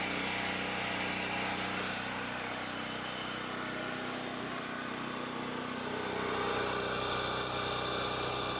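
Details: Champion 3500 W generator after carburettor cleaning, having sat all summer with old gas and run only on full choke; even fast beat around three per second, no misses or surging; normal idle.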